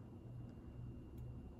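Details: 52-inch GE AirCool ceiling fan, original five-light kit, garage-mounted, medium speed: pretty quiet with very slight motor hum; a buzzing the owner attributes to a light bulb, not the motor; no knocking or wobble, normal.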